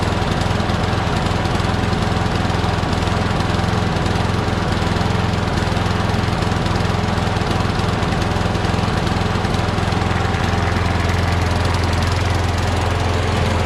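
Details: Craftsman push mower with crankcase oil way overfilled, smoking, oil in the muffler, suspected hydrolocked. Loud, uneven engine with a loping beat about three times a second; rough running from overfilled crankcase oil.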